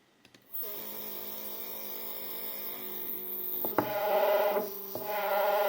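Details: Two same-spec stepper motors wired in parallel on one driver at 4 A peak, 1000 feed: rising whine, then harsh buzzy hum with irregular clunks; loud, rough running, cause unclear (suspects back EMF or one motor affecting the other).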